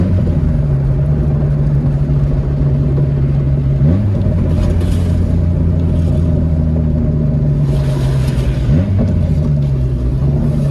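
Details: MK2 Jetta whose front exhaust section rusted through, leaving the muffler dragging on the ground: deep, booming low rumble, swelling with each rev change around four and nine seconds; loud open exhaust.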